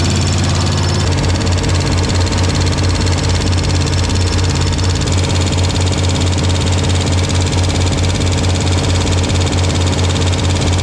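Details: Junker-88 K1500 V8 idling with exhaust and inspection cover refitted after no-start repair: fast irregular ticking over the rumble; owner suspects loose rockers, a pushrod seen moving loosely.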